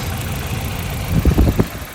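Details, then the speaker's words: Nissan Silvia S13 with a CA18DET engine, rough uneven idle with lumpy stumbling thuds: misfire on cylinder three, found by pulling coil packs; swapping the coil to cylinder four made no difference, ruling out the coil. "so basically what happened there was we had misfire and cylinder number three which we found by taking out the coil pack"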